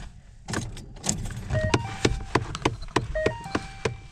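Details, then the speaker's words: 2011–2019 Ford Fiesta recirculation blend door actuator under the passenger-side dash; uneven sharp plastic clicks about three a second with faint motor whir as the door tries to move, failing actuator. "yeah you can kind of see in there not sure if the camera will pick it up but the door is trying to move"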